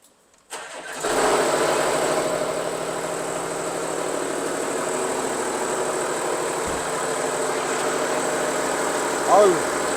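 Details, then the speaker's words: 2016 Audi A6 40TDI diesel with over 220,000 km, right after start-up: loud, busy metallic rattle rides over the idle without letting up. Loudest such noise the mechanic has heard; worn dual-mass flywheel. "이 차량이 제가 지금까지 들어봤던 소리 중에서 가장 큰 소리가 나서 입고가 됐어요."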